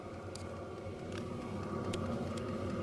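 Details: Hcalory TB2 diesel heater after a year of use, mic close to the downward-pointing exhaust once fully fired up: soft, even whoosh with a gentle steady pulse of about three and a half beats per second, burning cleanly and running normally.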